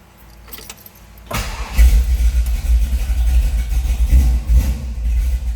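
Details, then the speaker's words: 1956 Chevrolet 210 Delray Club Coupe Pro Street V8, restored with a frame-off restoration, starting before warm-up. Short crank, fires right away and settles into a strong, lumpy, even idle. Oil pressure is checked. Healthy easy start. "how easily it starts. Nice idle to it."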